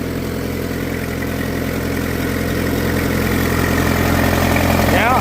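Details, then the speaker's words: Farmall, likely an H, at auction preview, started with no choke, snaps to life into a steady, even low idle with no knocks or misses; good oil pressure, charging good; healthy. "Ah, she snapped. There you go. Yeah, sounds good. Uh, good oil. Good oil pressure on snappy."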